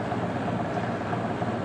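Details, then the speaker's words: 1982 Hotpoint Fashionaire 9,700 BTU window air conditioner on low cool: steady, even compressor hum with a faint constant tone, no knocking or surging, little shaking; an unidentified internal rattle is mentioned. Normal compressor running. "Nice and smooth. Doesn't shake too much."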